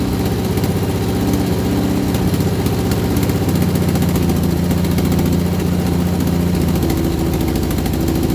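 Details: Vauxhall Viva HC during rebuild, first start after refit with temporary fuel supply and lead additive: rough idle with fast steady knocking tapping with engine speed; owner suspects a slipped gearbox guard plate, belt removed to rule out alternator and water pump.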